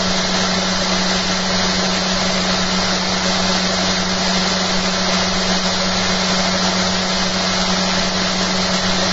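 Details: Magnet motor rig fitted with a new eccentric bobbin and magnet holder, at about 5,360 RPM and 1.01 A input: smooth steady hum with no knocks or rubs, brushes faintly audible; running cleanly.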